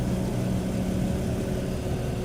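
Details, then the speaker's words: BMW 325i, believed 2005, six-cylinder idling with an intermittent dead miss, an uneven stumbling beat, code P0300 and a cylinder 2 misfire. "Now it's, as you can hear, it's already a dead miss."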